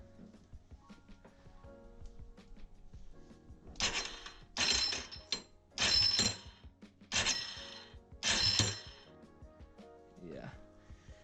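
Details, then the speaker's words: 2006 Yamaha Raptor 350 test-cranked with the key during a no-spark repair: five short harsh grinding bursts of about a second each, and the engine never catches. Owner suspects the starter clutch and is waiting on a flywheel puller. "sounds like starter clutch"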